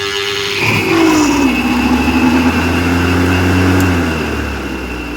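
Steady, even motor hum with a constant whine and no knocks, rattles or scraping; the mower is running smoothly.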